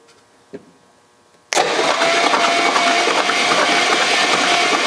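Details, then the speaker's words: 1956 Chrysler Windsor 331 Poly V8, freed from stuck, starter jumpered directly, no carburetor fitted: even cranking churn about three beats a second, no firing; engine spins over freely, long-sat belts jumping around. "She's alive. Sounds not too bad so far."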